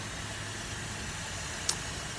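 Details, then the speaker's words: 2008 Buick Enclave 3.6 V6 VVT, 130,000 miles, after upper and lower intake removal and Seafoam valve cleaning for oil in intake and cylinder 3 misfire: smooth even idle under steady hiss, no service engine soon light, running perfect. "yeah like I said right now no service engine soon light its idle and perfect everything is perfect right now"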